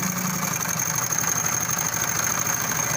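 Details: Honda 70cc motorcycle engine idling with a fast, dry metallic rattle from a worn, slack timing chain; fix is timing chain replacement.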